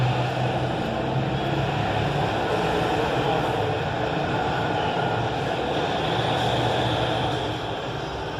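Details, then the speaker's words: Honda 160 (Start) motorcycle engine at 15,000 km, after camshaft bearing replacement removed the play; phone held against the cylinder head. Even, steady running with no ticking or knocking; the top-end noise is fixed. "o prefeito eliminou a folga o lateral lateral não tem folga e nem pra cima nunca baixo o Justin mais um problema solucionado aí ó o cabeçote Honda 160 e agora vai rodar liso"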